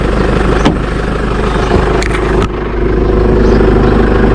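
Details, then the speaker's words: Jeep Wrangler JK 2.8 CRD diesel idling after an oil change and fresh oil fill; steady even clatter with no misses or knocks, much smoother now with nothing out the back: a normal diesel idle. "that's much smoother now so I'm happy with that nothing out the back as well"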